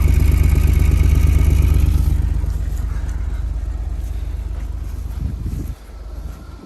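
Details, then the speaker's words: 2004 Buick LeSabre, first start in about 3 years after a fuel pump install, no air filter and air box unhooked so it sucks air: deep, even beat holding steady, sounding a little weird but running without knocks or misses. "Running. Sounds a little weird. There's no air filter in there and the air box is not hooked up, so it's sucking some air, but she's running, boys."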